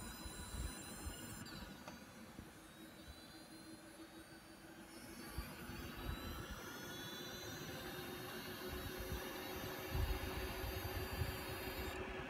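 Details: Asus Strix RX580 graphics card, tested with a new PSU, same result: faint, thin high-pitched coil whine over a soft fan whir, slightly louder over time.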